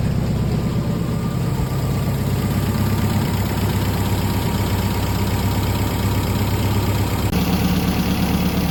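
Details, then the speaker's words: MGB four-cylinder under restoration, idling after engine work with the air filter still off. The idle is even and settled, smooth with no misfires, ticks or knocks, and there is no exhaust smoke. "Looks like we got everything running good, pairing like a kitten. Sounds good. Idling perfect."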